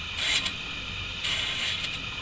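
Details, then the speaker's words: 1966 Pontiac Ventura rear drum brake after full overhaul, new drum, shoes adjusted greased: wheel turned by hand gives soft hissing scrape twice per turn, no grinding; shoes just kiss drum. Normal light brake shoe drag. "So, everything's together. Got them adjusted just to where they slightly drag. Can hear that."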